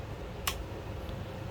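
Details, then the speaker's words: AC 220 V solenoid valve with high coil resistance, bench-tested on mains power: one crisp pop as power is applied, then a faint steady hum and vibration; the coil pulls in and works normally. "จะได้ยินเสียงป๊อกนะครับแล้วก็ถ้าเอาไขควงแตะดูนะครับก็จะมีการสั่นนะครับมีการสั่นแล้วก็มีเสียงฮือนะครับ"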